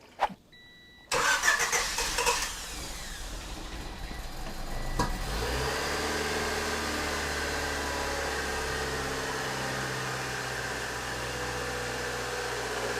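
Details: Honda Civic EG sedan cranks, catches and settles into a smooth, even idle with no scraping or roar; sounds healthy.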